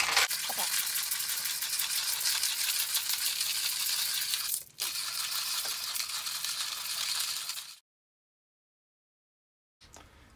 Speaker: know that you're done when you get to a point where you don't hear it grinding